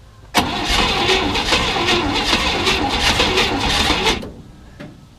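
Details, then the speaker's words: 1967 Chevy C10, 327 V8, 11,200 miles, unrun for 33 years, cold day, fuel sprayed into carb: lumpy, irregular cranking for about four seconds, never catches; owner unsure why rhythm changed, doesn't smell flooded. "would it do that change why would it change the rhythm the way it cranks that's frustrating that it change unless I got it too wet on that"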